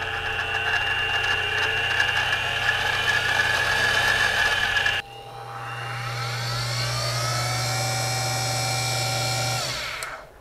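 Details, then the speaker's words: Central Machinery mini mill with Little Machine Shop belt conversion and transmission gears removed: smooth, even spindle whir with steady tones, no gear chatter, then clean spin-down; quiet normal running. "I just pulled these out and I'll show you how quiet it is now beautiful"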